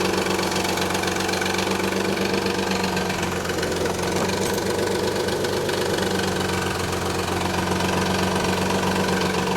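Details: 1991 Nissan 300ZX at idle: quick steady rattling knock; the timing belt tensioner had collapsed, leaving too much belt play, and both upper and lower idler pulleys were noisy too; noise faded once warm.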